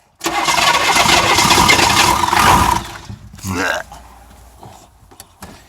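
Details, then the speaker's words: 6.2 diesel after refitting the starter rebuilt about ten years ago, cranked after glow plug wait: strong quick crank of about two and a half seconds with even strokes, then the engine catches; starter healthy. "up that starter sounds nice just like it did when I rebuilt it probably 10 years ago"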